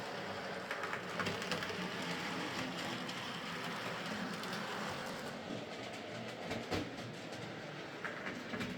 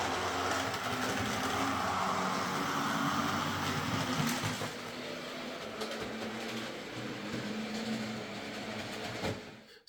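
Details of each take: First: Hornby Sir Dinadan model locomotive after fitting a Peter's Spares replacement motor, running on track: quiet, even motor hum over rail-joint clatter, smoother than before, with a 50% or more cut in current draw from just over 200 mA; normal running. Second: Hornby "Sir Dinadan" model locomotive with its original motor before a Peter's Spares X04 replacement, drawing just over 200 milliamps. A buzzy, gritty whirr holds steady then eases slightly; noisy motor.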